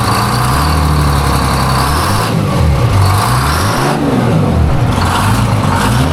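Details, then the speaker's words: Diesel, first fire-up after work: deep, loud diesel drone rises and falls cleanly through several throttle blips with no misses or knocks; healthy engine. "I haven't fired it up yet. I'm super excited to see what it sounds like, so It's pretty sweet."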